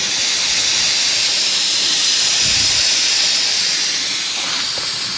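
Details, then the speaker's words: Old Ford truck just started: constant sharp hiss over a faint engine rumble as coolant sprays from pinhole leaks in the radiator, which are to be fixed by reflowing solder. "We got a fuel leak. Oh, she's talking to us. Yep, right there's one. I can reflow the solder right there."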